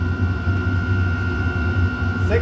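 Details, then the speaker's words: Chinese diesel heater running a 50/50 gasoline and waste oil mix, restarted with the intake blocked after it had shut itself off; temperature climbing past 70–78°C. A steady, even roar with constant fan whine, no sputter or pulsing; burning strongly and cleanly. "74 she's ripping now 76-78"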